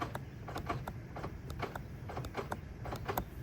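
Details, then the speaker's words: Cybertruck driver-side door button after fix: a thin credit-card-sized shim under the bolt raises it off the frame; crisp short repeated clicks, now audible and felt, though weaker than the passenger side. "And I think that gave it just enough raise off of the frame here that I now have a nice click. I can feel it, and you can hear it."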